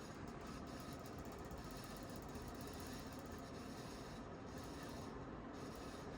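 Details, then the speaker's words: 1992 Sears Roebuck 42-inch Hugger ceiling fan, model 689 11438, running in reverse; dry steady rasping rub through the whole spin; awful bearing noise from worn bearings. "Not that I'll ever use reverse, that's kind of a gimmicky feature. But that bearing noise is awful."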